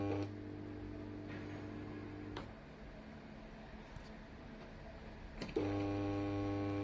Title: Loud noise in the old fluorescent lamp fixture